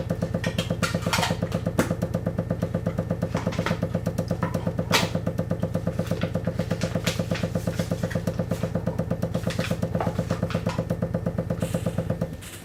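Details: Water hammer knocking in the pipes when the boiler starts up: the already dripping tap drips faster and sets up a repeating cycle of steady, rapid thudding knocks, nearly three a second, that then stop abruptly.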